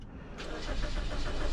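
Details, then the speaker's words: 2013 Toyota Corolla no-crank with a clicking starter, caused by voltage drop at a bad battery terminal: after the terminal is moved, the starter turns the engine briskly with a steady, even rhythm and no clicking, so cranking is normal. "All right, I moved it and now it cranks. Okay, so I got rid of the voltage drop by touching the terminal."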